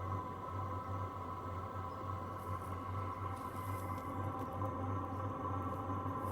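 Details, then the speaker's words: Hcalory Tool Box diesel heater running normally after start-up; low, even hum with soft steady pulse, no rattling or ticking, very quiet. "There you have it. This thing is doing what it is designed to do. Listen how quiet it is."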